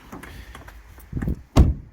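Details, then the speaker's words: Mazda6 Gen3 passenger door after foam wedged into the hollow gap: a few light handling clicks, then a short, dull thud on closing with no ringing; the door "bong" is gone, panel sounds solid and well damped. "Even with a proper bang, it no longer bongs anymore."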